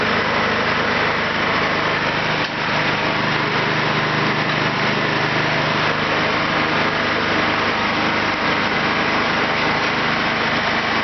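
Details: Kentavr 7807 petrol snowblower, single-cylinder engine, after carburetor cleaning for a no-start; throttle set to max (hare): steady, even buzzing run with no surging or stumbling, sounds healthy.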